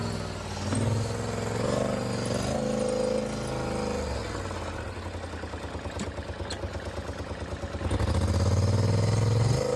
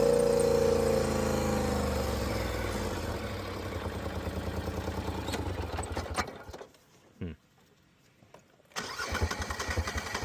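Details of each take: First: Polaris Sportsman ATV, previously misfiring and shutting off in high range, after new spark plugs and plug wires: idles with an even, steady beat, then revs smoothly up and settles without stumbling. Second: Polaris Sportsman ATV starting and running unevenly with a skip, nearly dropping out from a misfire, tending to shut off in high range; fixed with new spark plugs and plug wires.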